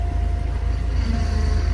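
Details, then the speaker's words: 1990 Buick (GM) after ignition cylinder and upper steering column reassembly, battery reconnected: it starts right up and idles with a deep, steady, even rumble, no knocks, misses or squeals; normal idle. "all right so I reconnected battery sound taking down a little life the lights are coming on and it starts right up"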